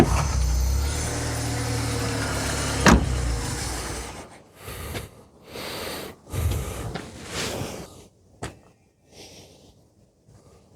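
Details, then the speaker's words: 1987 VW Polo Mk2 Fox base model, original and low mileage, 1-litre single-barrel carb, four-speed; engine runs rough about four seconds then stalls, won't idle, traced to missing idle mixture screw. "Well, that's embarrassing. Oh, no. You're going to be a pain, aren't you?"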